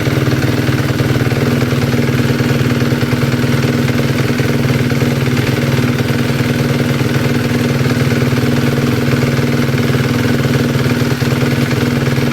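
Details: 2011 Suzuki RMZ250, 2–3 hours after top-end rebuild with Wossner piston, cold and warm idle: light rapid chatter about three per second over a rough single-cylinder idle; cam timing set wrong, three valve clearances out of spec, fixed.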